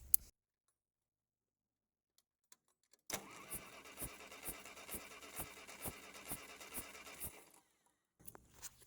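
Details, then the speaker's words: Ferguson TO30 tractor unrun over 5 years, different battery fitted, one cylinder reading about 110 compression: starter cranks evenly about two beats a second but never catches; crank no start, apparently no spark. "as far as I can tell I have no spark so that could be issue number one why this thing doesn't start"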